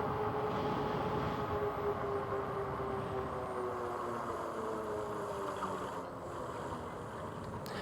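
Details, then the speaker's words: Magicycle Jaguarundi e-bike riding: light rhythmic swish about twice a second from the front disc brake, rotor holes rubbing the pad; no big deal. "yeah the the noise that you hear on the front brake is the rotor rubbing up against the uh the brake pad it's actually no big deal"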